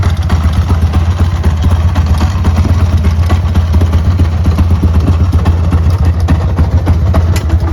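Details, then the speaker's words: 1995 Harley-Davidson Sportster 1200cc, about 24,000–26,000 miles, jump-started with no battery: loud V-twin idle with uneven, stumbling beat and occasional misses; lumpy, needs a carb clean and service. "It's a bit lumpy. Needs a carb clean and bit of a service."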